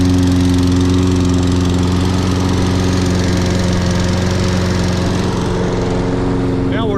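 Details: Toro Recycler 22-in model 20334 electric-start mower, 190cc engine with auto choke, on a January cold start after sitting unused for some time; it was slow to start but finally ran. Steady, even single-cylinder chug with a constant low hum and no misses or knocks: normal running.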